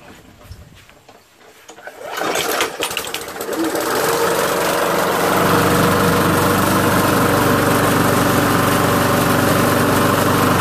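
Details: Small pull-start engine that wouldn't start with a water-fouled spark plug, after cleaning the plug with a wire brush: after a few quiet seconds it catches and settles into a steady, even beat of about four pulses a second, running cleanly.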